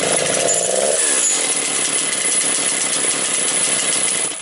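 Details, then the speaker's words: Motor Sich 475 single-cylinder engine, carburetor flooding from rich mixture: high buzzy note runs unevenly, sags and dies; throttle linkage slipped off the carburetor so it can't hold idle. "тяга зіскочила газо буває з карбюратора"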